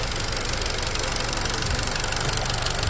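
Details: Jeep Patriot just started after days of attempts at -36 to -40°C/-40°F with failed block heater and excess fuel cleared; fast fairly even knock around four per second over rough idle, cause not yet known; knocking at idle.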